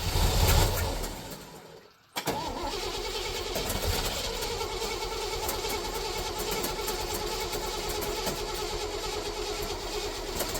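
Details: 1966 GMC pickup, sat before being revived, cranking to start: after a short burst the starter churns slowly at about three beats a second and never catches as the battery runs flat.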